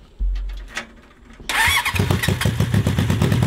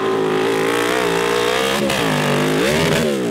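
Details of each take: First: Honda CB750-engined cross kart: cranks, catches, then lopes with an uneven chuffing beat about two per second instead of smooth; misfire from a flooded, fouled plug sparking across the insulator; new plugs restored full power. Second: CB750 750cc cross kart after replacing bad spark plugs that were sparking across the insulator and caused almost all running issues: strong, clean note rising and falling smoothly through hard revs, no misfire; healthy at full power.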